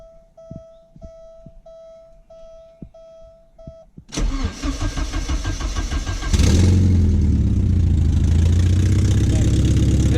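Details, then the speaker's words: Porsche 944 after an exhaust repair, where the pipe had been dragged on the ground: chimes, a short crank, then a loud raspy blatting idle; still loud but quieter; owner believes a leak remains up in the Y-pipe or header. "it's still loud but it's better oh yeah she's still loud and better though nice"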